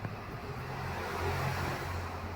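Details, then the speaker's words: Hyundai Tucson driving after the spring was reinstalled to fix a wheel noise. Only a low, even road hum with no knocks, creaks or clunks; normal suspension, no noise. "carro sem barulho nenhum, mais tudo certinho."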